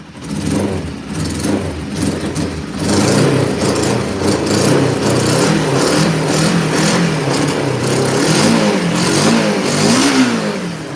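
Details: Cold motorcycle started with about 5 inches of snow on the ground, revved: ragged, uneven beat with lumpy pickup as revs rise and fall; owner thinks it is running on only one cylinder, on high choke; misfire suspected, then runs perfectly.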